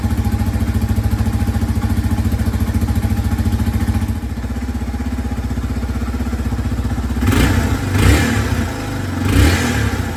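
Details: 2003 Yamaha TT-R 225 single-cylinder after no-spark repair (new stator, ignition coil, plug cap/boot and spark plug): fires right up, a little cold-blooded as expected, even thumping idle with clean throttle blips that rise and fall smoothly; normal start and idle.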